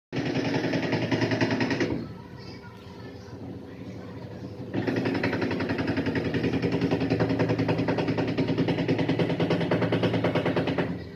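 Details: LG washing machine during the spin cycle: loud, rapid rattling thumps, about three or four a second, easing briefly then returning.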